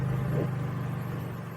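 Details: Honda EU3000is generator with aftermarket Huayi carburetor in eco mode, loaded with high-draw work lights: smooth, steady hum carries the load with no knocks or misses, then eases slightly lower in pitch; runs flawlessly.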